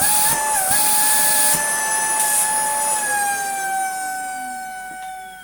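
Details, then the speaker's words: Dyson DC40 Mk1 main motor switched on: piercing, steady whistle over the motor, sagging as it winds down, from air forcing out everywhere past a clogged post-motor filter. "that's what that noise is if you have one of these or a dc 25 or 24 they're terrible for it the filter's clogged and the air is doing all it can to escape from everywhere else bar the clogged up filter"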